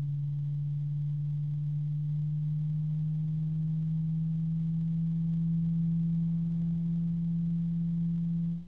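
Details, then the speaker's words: Cooljag Everflow FB14025SL 3-pin fan with EBR bearing, microphone right next to it: nice quiet start, steady deep hum with a faint even harmonic overtone, no ticking or rubbing; healthy. "just got to be careful and it's a nice quiet start a nice deep tone coming out of this thing and a FR harmonic resonance"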